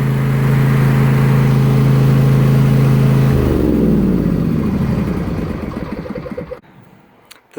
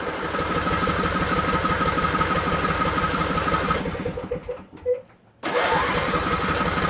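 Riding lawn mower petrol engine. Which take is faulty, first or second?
second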